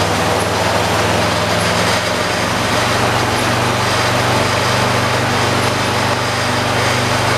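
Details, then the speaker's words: 1986 John Deere 216 single-cylinder lawn tractor, first start of the day at about 50°F, around half throttle: steady flat drone that barely climbs, poor throttle response; owner says carburetor needs adjusting, only begins throttling up past half. "these colors don't have very good throttle response it if you didn't notice it doesn't throttle up as high as that 73 does"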